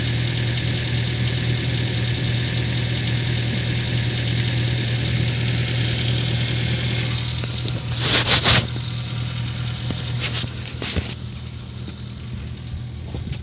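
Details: Ford Focus 3 idling with a distinct, steady, dull diesel-like knock about four times a second, source unclear; the knock appeared after the oil change at scheduled TO-2 service.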